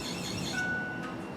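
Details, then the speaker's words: Key turned to the second position with the engine off: a thin, steady high whine/squeak for about half a second, then briefly returning; a strong squeak indicates the fuel pump priming correctly, whereas a droning sound would mean a dying pump. "that strong squeaking sound right there is a good indicator that the fuel pump is working correctly"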